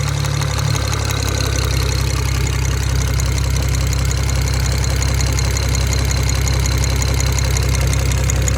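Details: BMW 335i N54 engine idling with light, uneven top-end ticking or pinging, about three per second; owners suspect injectors, valve tapping or rod bearing, unconfirmed.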